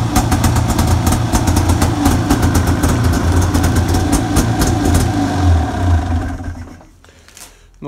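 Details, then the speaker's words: Arctic Cat 570 snowmobile, Japanese-built engine, electric-started on Varta AGM battery at −40° with full choke: rough, busy two-stroke idle holding steady several seconds then dying away; normal cold idle, starts easily in deep frost. "хоть буду знать что он заводится в такой мороз минус 40"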